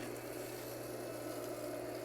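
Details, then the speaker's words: Newly installed cheaper replacement pool pump recorded right beside it; steady low motor hum with soft water rush, without the old pump's high-pitched whine. Normal running. "Now this sounds a little bit more like a pool pump should. That is quite a difference from the old one. At least we don't have that high-pitched winding noise that can drive anybody crazy."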